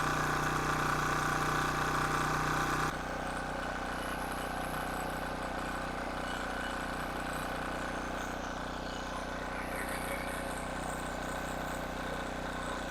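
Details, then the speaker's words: King Canada 1500 W generator, Chinese engine: steady, even drone at constant speed with no misses, surging or knocks; running back to normal. "okay guys so there you have it she's all running back to normal"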